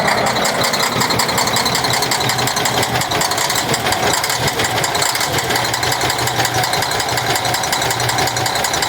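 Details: Cummins ISX 870 truck diesel at idle after injector replacement and overhead adjustment, fan running: uneven, stumbling beat with an occasional dropped pulse; owner says it still sounds like a miss.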